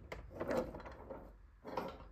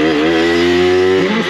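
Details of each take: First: Aprilia RS4 50cc motorcycle that came in for a leak and needed a full engine rebuild; the engine won't turn even with the spark plug out. Forced round by hand through the ignition cover, it gives slow, uneven scraping bursts and binds again, suggesting seizure. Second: Aprilia RS4 50cc two-stroke on a road test after a full engine rebuild, with a main jet of 60 that the mechanic suspects is a bit small. A high, buzzy note held steady under throttle, then dipping; it runs well but struggles slightly to pull away.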